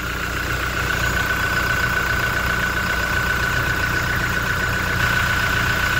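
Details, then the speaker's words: Toyota Innova Reborn diesel, engine cold and just started, oil filler cap opened: even diesel idle clatter with no deeper knocking or "ketimpung" thumping; normal cold idle. "Nah kita dengarkan ya ini kondisi mesin Masih dingin tidak ada suara bunyi keluntung-keluntung"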